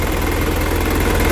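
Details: Isuzu 4HF1 diesel rescue truck, started by gravity-feeding fuel to test the lift pump: shaky low throb with rattling vibration and uneven pulses, a rough idle (palyado). Cause suspected, not confirmed.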